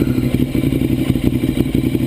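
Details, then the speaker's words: 2009 Ducati 848 after fuel pump hose repair, revs raised to try to provoke a leak: twin pulls up with a quick, even firing beat, no stumbles or rattles; healthy, no leaks seen. "so let's see if maybe if we build up some RPMs if we can"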